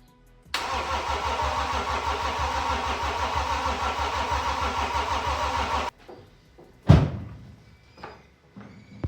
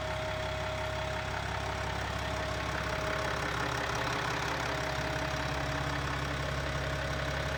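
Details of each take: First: BMW X5 M50d diesel on first crank after engine rebuild, with new fuel filter and oil, battery charger connected and mass airflow sensor/air filter not installed: steady starter churning for about five seconds with even compression pulses, never catches. Cause unconfirmed; glow plug codes later found. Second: BMW X5 M50d diesel after engine rebuild, running: steady, even diesel idle with smooth constant beat, no knocks or misses; healthy.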